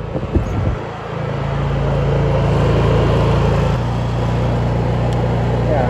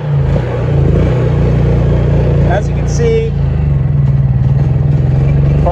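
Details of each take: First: Honda EU3000is inverter generator, previously surging, after fresh fuel and a hose service fix: a steady, even hum that firms up as an electric heater load comes on, with no hunting or surging; it runs healthy. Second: Honda EU3000is inverter generator that sat unused, dead battery, pull-started on partial choke: speed rising and sagging unevenly, dies with choke pushed in; surging from old stale fuel and dirty carburettor.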